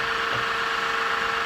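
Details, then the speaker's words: Woodturning lathe live centre: steady harsh whirring with a thin constant tone while spinning; bearing that the centre slots onto suspected worn and on its way out. "that's noisy I don't know yeah I think the bearings are going on that one"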